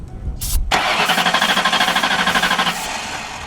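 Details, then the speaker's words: Hurricane-flooded 1992 Ford Crown Victoria, 11,000 miles, cranked with carb cleaner/starting fluid sprayed in: starter grinds steadily about three turns a second but never fires; owner suspects no spark, fuel heard, throttle butterfly not opening. "seems like maybe it ain't getting spark that's weird I hear the fuel"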